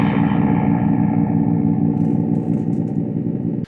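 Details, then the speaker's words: Vintage Sound Electronics Corp X305R guitar amplifier, slowly powered up into a cabinet: harsh fuzzy buzzing tone for three and a half seconds; suspected capacitor problems, unconfirmed. "as you can hear there's a lot of noise and uh well the good news is it makes sound the bad news is it sounds like this"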